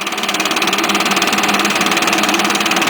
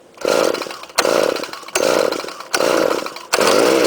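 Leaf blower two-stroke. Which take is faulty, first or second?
second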